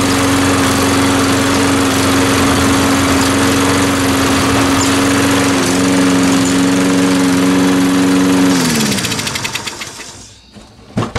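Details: Salvaged self-propelled mower after carburetor ultrasonic cleaning, tested with the wheel drive engaged: steady even single-cylinder putter at about four beats a second, dipping slightly as the drive engages, then shut off; runs healthy.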